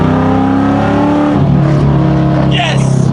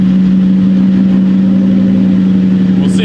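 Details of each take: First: 1999–2004 New Edge Mustang after over-rev misfire fixed by reseating a popped-off rocker and fitting a new valve cover gasket: clean, even revs climb and fall smoothly with steady exhaust and no stumble; no miss, rough idle put down to a vacuum leak. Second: 1999–2004 New Edge Mustang after over-rev misfire fixed by reseating a popped-off rocker and fitting a new valve cover gasket, first startup: loud, steady idle with a slightly uneven, lumpy beat; owner first suspects a remaining miss, later blames a vacuum leak.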